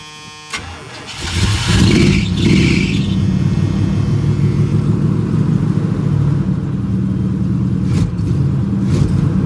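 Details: Old hot rod after fitting a new fuel line and extra filter before the pump; click, then long steady chugging cranking for several seconds without firing cleanly while the new line primes.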